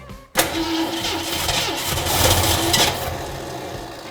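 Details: 1965 Ford Mustang coupe, first start attempt after adding more power: uneven cranking beat, engine fires briefly and picks up, then fades without running on its own; cranks, briefly catches, no start. "She wants to live… it was close."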